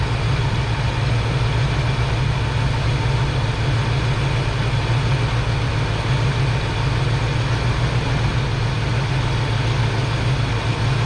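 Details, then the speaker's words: Foxbody V8 after a base idle reset, with timing set and TPS adjusted from 0.73 to about 0.97–0.98 V: a steady, deep, even idle rumble, idling great. "And there you go, guys, 0.97, 0.98. Car's idling great."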